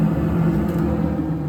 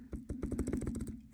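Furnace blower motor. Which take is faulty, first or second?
second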